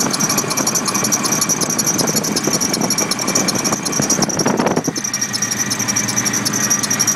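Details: Nissan Titan V8 after Stillen supercharger install: steady, piercing high-pitched squeal from the supercharger drive belt over the running engine.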